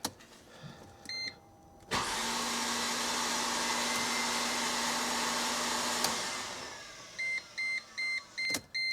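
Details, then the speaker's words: 2005 Mercedes SLK350 (R171), spark plugs out, fuel pump fuse 4 and fuel relay removed, checking for suspected water in the cylinders: warning chimes, then about four seconds of smooth steady whirring with no cranking beat; the engine seemingly doesn't turn, and fuel is smelled. "that doesn't sound right that does not sound right at all I don't think that's oh my gosh and I smell fuel did you see any water shooting out I don't even think it turned to be honest"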